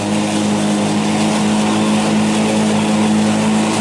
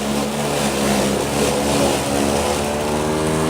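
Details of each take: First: Black & Decker battery mower, third year, on a new replacement battery, in very tall grass after eight or nine days' growth: steady hum holding one even pitch with no sag; no power reduction compared with the old battery. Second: Two-year-old Black & Decker battery self-propelled mower with a weak, worn original battery, in tall, dense grass in the back: motor hum under load sags and drops low, just barely running; tired battery losing power.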